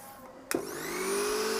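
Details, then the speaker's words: Philips mixer grinder motor run without its jar: a click, then it spins up to a smooth, even whine with no rattle or knock; motor healthy, the loud noise is traced to the jar. "जैसे कि आप देख रहे हैं यह बिलकुल स्मूद पर अच्छी तरीके से चल रहा है इसके अंदर कोई आवाज नहीं है"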